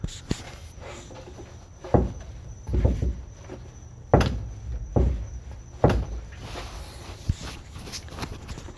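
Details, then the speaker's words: 2002 first-gen Toyota Tundra TRD off-road, truck shaken by hand at rear where spare tire mounts: heavy muffled metal clunks in uneven bursts reverberating through truck, also heard over bumps; owner traces it to rear subframe, fix unconfirmed. "so you can tell this right where the spare tire mounts and it is a kind of a loud clunking noise it kind of reverberates through the whole truck"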